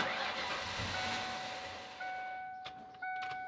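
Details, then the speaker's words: 1996 Ford Mustang GT convertible, fuel pump fuse pulled before fuel filter change to bleed line pressure: running engine fades over about two seconds and dies, leaving chimes and clicks; engine stall from fuel starvation. "we are going to run the car until the car dies choking on its own [Music] air doesn't want to run"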